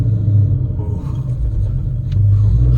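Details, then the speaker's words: 2012 Mustang GT breaking in a newly installed stage 4 clutch. Deep engine rumble pulses unevenly as the car pulls away in first; launching is tough, while shifting through second and higher gears feels smooth. Clutch shudder on launch. "[ __ ] shutter oh [ __ ] yeah it's a little hard to drive put it at that"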